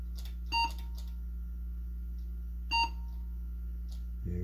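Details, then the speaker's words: Lenovo PC with an AMD Athlon 64 X2 5000+ and about 1 GB DDR2, booting: steady low hum with irregular single short high beeps, the BIOS system fan failure warning; possibly just the case fan. "so system fan failure that might just be uh case fam but yeah it's going through a whole ton of here"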